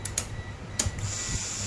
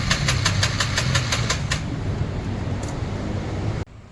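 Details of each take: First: Honda Forza 350 scooter with a no-start fault, after the fuel pump was repaired rather than replaced as a unit: a steady low electric hum with a thin high whine as the fuel pump runs normally again. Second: Honda Forza 350 scooter cranking but not starting: starter churns the engine in quick even pulses, never catches; cause found to be fuel pump failure, repaired rather than replacing the whole assembly.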